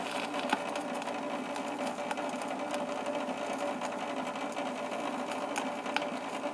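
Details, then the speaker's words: 1978 Fisher Price model 825 record player, after drive wheel repair: light, even mechanical whirr with faint ticks as the turntable spins; runs okay, slight buzz is vibration from the lid/door. "so let's go ahead and turn it on there you go it seems to be running okay"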